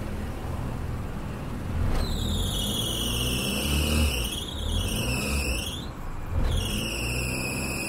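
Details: Proton Wira (4G15/4G13) engine at morning start-up: shrill chirping "cit cit cit" squeal over the idle, rising and falling with revs and cutting in and out. It comes from a slipping accessory belt that is loose or worn.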